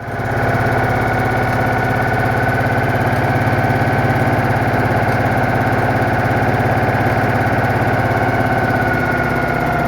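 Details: Citroën Méhari idling after exhaust leak repair, fan refitted, check before test drive; smooth steady putter with no puffing, popping or ticking; healthy.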